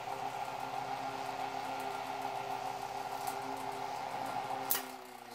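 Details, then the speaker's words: 1940s Chicago Electric Handybreeze 8-inch desk fan, recorded from the back: steady motor hum with a light, uneven rattle underneath throughout, something loose buzzing; rattle while running. "You can't really hear the startup sound very well through the rattling."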